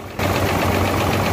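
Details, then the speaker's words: Hino J08C truck diesel, overheated earlier: rough, uneven idle knock that doesn't change when injector pipes of cylinders 1 and 2 are loosened, showing both cylinders dead with high back compression. "You can see that both the pipes are delaying and the engine is not making any difference. Can understand that there is a fault in both of these"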